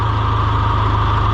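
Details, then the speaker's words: John Deere 2020 HU tractor at steady, even low diesel idle with constant hydraulic pump hum; works fine right after starting, though hydraulics slow down the longer it runs. "So you can hear that it's running the pump, and now when you first start it, everything's great."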